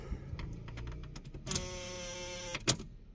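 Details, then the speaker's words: Fiat Strada: light irregular ticking, then a steady electric buzz for about a second from a faulty turn signal relay under the cover; fixed by swapping the relay. "Ele não sabia o que que era então se você tem uma fita Estrada um ono um páo quando você escutar esse barulho ele é o é de seta tá bom"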